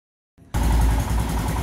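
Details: Royal Enfield Himalayan single, warmed up, during idle screw adjustment on the throttle body (spec 1250±50 rpm): it fires up and holds a steady, even thump with no hunting or stumble. Normal idle.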